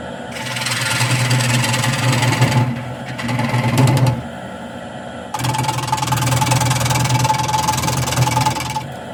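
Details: Wood lathe turning an off-centre tray or pedestal blank gives a loud, rough cutting roar with a fast rapping beat of about three or four knocks a second as the tool hits the spinning corners; this interrupted cut comes from the blank not being centred.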